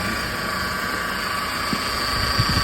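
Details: Mercedes-Benz E200 W212, M271 petrol engine, idling: steady high howl from a worn front belt idler pulley bearing, louder when revving and also heard while driving; both idler pulleys (smooth and grooved) replaced.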